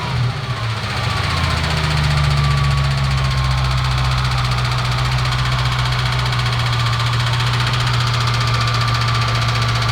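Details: Car just after the power steering fluid was changed: heavy drone under the hood with a faint whine dropping in pitch, only with the AC on and gone with it off, AC still cold; source unclear.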